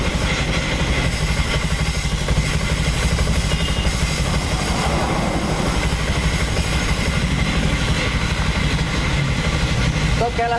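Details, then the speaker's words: Honda Scoopy (12-inch rims) idling with rough, irregular clunking clatter from the CVT, heard at idle only; rear pulley and clutch sound fine, suspected cause is the front pulley roller housing; CVT clunking at idle. "Ini kemungkinan besar peeling saya permasalahan di bagian sini di bagian rumah loler di rumah loler biasanya pakai suara seperti tadi itu ya berpusat dari bos"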